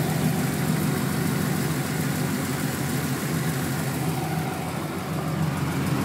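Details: 1996 Chevrolet Camaro Z28 LT1 V8 at idle: a light, quick valve-train tick of a couple per second over a steady idle; the owner wonders whether it needs a valve adjustment, cause not confirmed.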